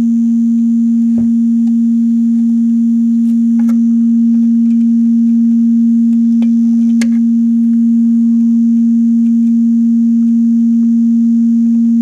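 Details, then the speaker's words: Line 6 DT25 guitar amp with intermittent power dropouts, on the bench while multi-connector leads are waggled: steady loud hum broken by sharp irregular pops, about four in twelve seconds, occurring on their own; fault from a failing valve. "it's popping and banging away in the background it's very easy to fool yourself into thinking that you've just done that by moving something foreign"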